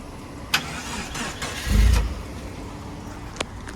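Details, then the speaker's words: 2000 Jeep Grand Cherokee, salvage title, with the intake full of Seafoam: it cranks, catches with a short surge, then idles faintly and unevenly as if about to die. Rough running after start, cause unconfirmed. "Sometimes she's a little rough cranking after the intake and all that is full of seafoam. So sometimes it takes a little bit."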